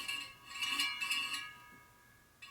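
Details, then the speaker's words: 1972 Harley XL Sportster wheel being laced and trued; short bursts of light metallic clinks as the spinning rim's high spot brushes the truing gauge once per turn. "I like working on the high spot cuz you can hear"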